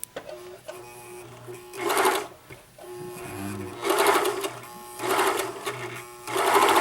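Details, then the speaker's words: White Superlock 534 serger sewing a sample after tension adjustment: short bursts of fast, even stitching whir with steady pitch and no catches or skipped stitches. Thread tension still needs balancing. "Sounds good, looks great as far as not skipping."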